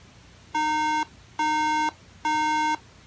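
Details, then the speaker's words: Three-beep RAM error at startup on a Mid-2012 13" MacBook Pro (logic board 820-3115) after LCD inductor repair: three even half-second mid-pitched beeps with short gaps; caused by a bad top memory slot, bottom slot works. "so I do need to remove that lower memory module alright so it actually turned out that it was the top memory slot that was bad"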